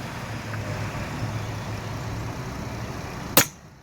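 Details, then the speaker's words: Brake booster on the bench after vacuum removal: low hum, then a sharp short hiss of air rushing in as the check valve is pulled, so the can holds vacuum with no leaks; the unit has power assist but fails to return to rest and needs a rebuild. "There we go. Can has integrity."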